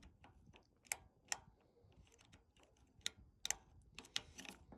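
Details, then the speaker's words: GE top-load washer lid switch, removed and pressed by hand: small sharp clicks in a quiet room, crisp engagement showing contact; the original switch was bad, stopping drain and spin. "And then you're also going to be engaging this guy. That's a click."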